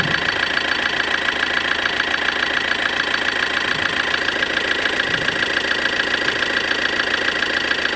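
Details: 2013 Ford Transit 2.2 at idle: a sharp, regular tap around 140 a minute rides over the clatter, an engine knock of unknown origin.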